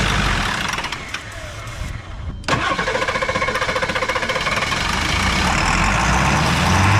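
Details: Diesel truck that ran out of fuel, batteries dead and being jump-started: steady starter cranking about four compressions a second that never catches. Fuel starvation, air seen bleeding from fuel line while priming.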